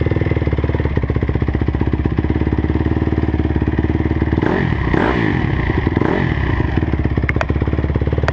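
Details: 2009 Honda CRF250R with a weird noise: fast even firing with a light metallic clatter riding on each beat through a brief blip; cause not pinned down.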